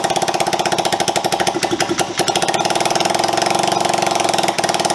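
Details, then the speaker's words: Honda CB125S after engine restoration, first run in years, kick-started with a bit of throttle: rapid even single-cylinder exhaust popping that dips under throttle then steadies; normal running. "oh he's making noises"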